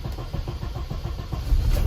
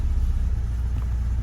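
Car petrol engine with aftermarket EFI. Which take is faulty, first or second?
first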